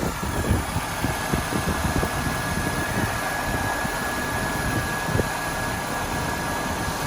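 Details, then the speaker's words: 2001 Saturn SC2 after exhaust and clutch-pin work, restarted and warming up: steady, even idle with no misfires, knocks or hunting; some black soot and smoke from sprayed cleaner. "look at that it started right up that time that's nice all right so we're gonna let this warm up for a little bit"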